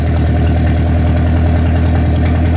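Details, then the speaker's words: Rebuilt Mercruiser 3.0L from a 2006 boat, just after its first start following an oil-pressure-loss rebuild: deep, steady, even idle with no misses or knocks, 40 psi oil at idle. Timing still to be set; carburetor possibly lean. "Wow. That was cool. They usually don't just fire up immediately like that. That's pretty impressive. Nice and smooth."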